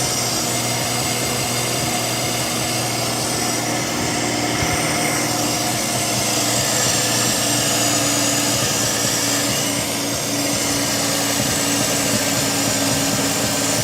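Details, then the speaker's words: Mazda RX-7 rotary idling after work on leaking injectors: steady, busy idle with a buzzy hiss and fairly even beat, holding fourteen seconds without stalling or stumbling; it runs normally. "thing all right let me turn the car off just Rock Solid 12 and a half"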